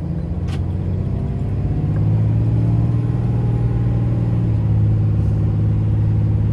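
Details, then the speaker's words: 2007 Dodge Ram 3500 4x4, 6.7 Cummins diesel, 68,000 miles, six-speed automatic, fully serviced, driving uphill: deep diesel drone, pitch climbing then settling between gears, no flare, slip or hanging; normal smooth upshifts. "very very smooth just smooth as butter going from one gear to the next doesn't hang gears doesn't get stuck doesn't slip nothing of that sort"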